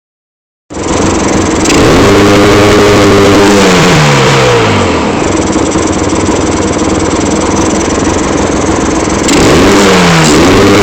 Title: Misfiring